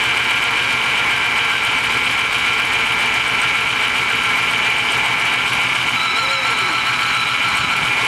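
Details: Old GMC truck with 5.3 engine, left sitting with no oil showing on a rotted dipstick, runs rough with harsh rattling, internal banging and a puffing chuff from a small exhaust leak.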